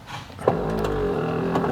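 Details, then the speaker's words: 2001 Buick LeSabre rear power window: the motor hums and turns under strain with a rough crunching but the glass barely moves; the motor is probably okay, and the jammed regulator needs replacing. "very crunchy in there sounds delicious like cookie monster [Music] uh the window tries to move a little bit you can hear the motor turning which tells me the motor is probably okay but we definitely need a new regulator"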